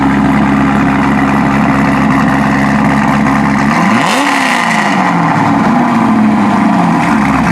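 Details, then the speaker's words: Heavily modified Corvette V8 with no stock engine parts, MSD ignition, FAST intake, LG headers and near-straight pipes with mufflers: loud, deep, even idle, then a quick sharp rev that rises and falls cleanly; healthy, normal. "That was awesome. I scare people starting it up. I scare people to death when I start it up."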